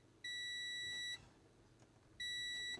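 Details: Multimeter continuity test on Commodore 1581 drive board capacitors: two clean high-pitched beeps, nearly a second then half a second, confirming a connected path.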